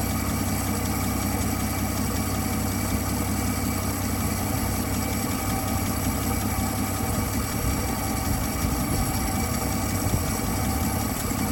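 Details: 1959 Dodge Coronet idling after fixing a sticking carburetor needle valve that had starved it of fuel: steady, even smooth low rumble with no knocks or misses; runs cleanly.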